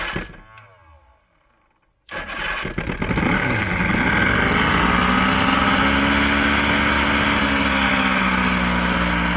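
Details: Old 90hp Johnson outboard on a 1987 Crestliner, sat about a year, fresh plugs, started with starting spray: catches and settles into a buzzing but uneven run; rough running, carbs and fuel lines to be cleaned.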